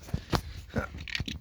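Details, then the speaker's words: 2008 Toyota Avensis, dual-zone climate control: irregular dry crackling clicks from the driver's-side (left) heater box when the temperature is adjusted, from the failed left temperature actuator/stepper motor with gear teeth skipping. "При регулюванні клімату у нас іде треска з левої сторони."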